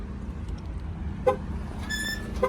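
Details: Dodge Challenger Scat Pack V8 at idle, rainy day: short, sharp squeaks chirp over the low rumble, which the owner first feared was suspension but traced to a dry, sticking active exhaust valve.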